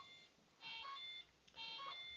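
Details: RC propeller warbird with a radial LED exhaust-flame setup, ESC disconnected from the radio: paired high electronic chirps about once a second, with no motor noise. This is the speed controller warning that no motor is connected.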